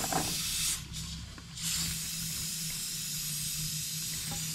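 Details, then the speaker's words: 2006 Ram 2500 5.9 Cummins diesel with heavy hauling, low fuel economy, high EGTs and power loss; a boost leak tool pressurizes the 4-inch turbo intake, giving a steady airy hiss from a huge boost leak found during testing. "we're going to listen for some hissing there's ten oh my something is no no way i should have seen that one [Music] that's a huge leak oh my gosh"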